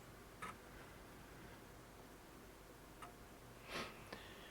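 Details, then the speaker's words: Untested Amiga 600 after re-capping SMD capacitors, first power-on with no disk: a few faint dry ticks seconds apart in a quiet room, empty floppy drive seeking normally. "can hear the floppy ticking."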